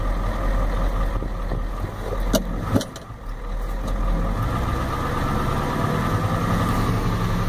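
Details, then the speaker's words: 1993 Ford F-250 7.3L IDI diesel, warmed up, after new injectors, O-rings, return lines, tested glow plugs: uneven stumbling clatter with dropouts, shaking badly; owner suspects injection pump timing or failure, unconfirmed. "it's warmed up like I said and it's really shaking look at the RPM gauge if I can steady it shake it so bad I can"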